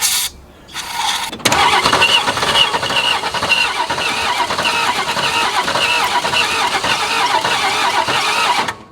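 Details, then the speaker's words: 1961 Ford Falcon abandoned for 15 years, gear oil soaked into the cylinders to restore compression, cranking: ragged cranking that catches only in uneven bursts and fires on just a couple of cylinders. Misfire while cranking. "it's only hitting on a couple cylinders that should be enough to blow it up"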